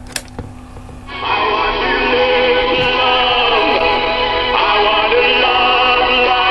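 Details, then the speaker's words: 1970s PYE cassette deck after a belt replacement, playing a test tape recorded from an LP: music with a constantly wavering, warbling pitch from unsteady tape speed. Wow and flutter. "I don't need proper quality tape for this because it doesn't sound good anyway. The wire and flat is off the charts."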